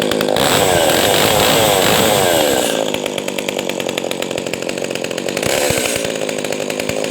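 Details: Echo 280E small chainsaw, first startup after about 10 years unused: revs up hard and clean, then drops to a steady, even deep burble that keeps idling without stalling; healthy two-stroke.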